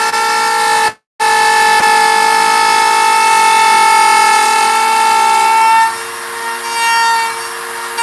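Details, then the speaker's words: Wood router cutting a sign gives a steady high singing tone that shifts as the cut changes: bit chatter, the bit microscopically shaking; inserting the bit further into the collet reduces chatter. "And that's what that sound is. That sound is chatter. It's the router bit microscopically kind of shaking and spinning a little bit."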